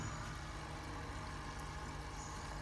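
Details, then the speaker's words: Small aquarium oxygen air pump after a DIY noise-reduction fix; only a faint steady low hum with a slight buzz, no rattle, noise greatly reduced with just light vibration left. "Ê mày có nghe thấy nó giảm tiếng ồn rõ rệt không ở gần như là không có cái buồn nữa để làm rõ rệt luôn Anh chỉ còn một cái tiếng rung nhẹ thôi"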